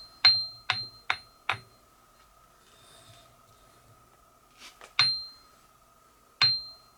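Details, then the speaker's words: Ring test on the wheels of a Craftsman 1/3 HP bench grinder during a rebuild: sharp taps leave a clear, lingering high ring, meaning the wheels are not cracked (a cracked wheel sounds dead) and need no replacement. "so both of those Wheels ringed just fine uh if they had cracks in them they would have a dead sound to them which they didn't"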